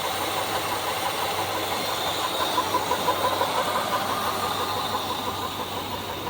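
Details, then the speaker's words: 1976 GMC Sprint, sat years in a barn, first start with a gas leak: settles into a steady, even idle with no misses or knocks, water from tailpipe, firing on all cylinders; normal idle. "oh yes it sounds good sounds real good look at that water coming around that tailpipe sounds like it's hitting on all of them"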